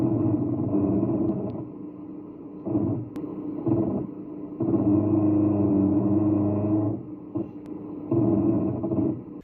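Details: BMW braking to a stop: low moaning groan with scraping edge in bursts; pads not worn, dealers called it normal; fixed by replacing brake pads and discs with TRW parts.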